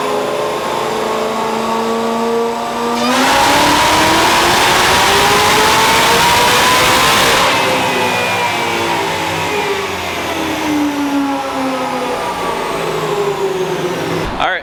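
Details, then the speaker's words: 2004 Mustang Cobra Terminator with a ported 2020 GT500 blower and a brand-new motor at about 50 miles, on the dyno after a spark plug swap: a clean full-throttle pull with no misses. Slight smoke, possibly ring break-in. "Made a full hit. A little smoky again. Don't know what's up with that."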